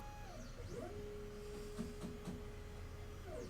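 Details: Diode laser running a framing pass in LightBurn at 10,000 speed, 399 × 445 bed size, set up to avoid the shock alarm (Alarm 1 / GRBL error 9): stepper whine rises and falls with each move, steady tone while travelling, no bang or stall. Clean framing run.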